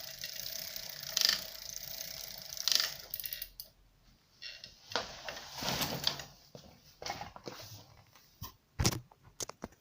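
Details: Bafang BBS02 mid-drive e-bike motor under pedal load: dry crackling bursts about once per crank turn, most likely caused by a slightly loose bottom bracket mounting nut on the left pedal side; fixed by re-tightening the mounting bracket.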